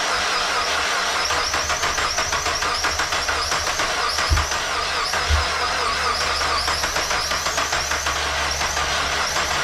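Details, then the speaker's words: Mazda Miata after valve seals, timing belt, pulleys and water pump were replaced, with the air box not fully reassembled: labored, steady cranking that never catches and a gas smell. Owner suspects it is hydrolocked or flooding with fuel; not confirmed. "they didn't like that sound sounds like it's hydro locked"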